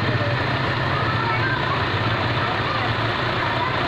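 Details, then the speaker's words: Suzuki Liana M13 idling under full load with AC and headlights on, before repair: steady low drone with an uneven, stumbling beat and jerks as one cylinder drops out, attributed to a failing ignition coil; rpm fluctuates. "एक cylinder देने में missing भी ए रही है आप देखिएगा देख रहे हैं ये देखें एक सिलेंडर बिल्कुल स्मूथ नहीं है पहले बीच में रुकता है झटका मारता है"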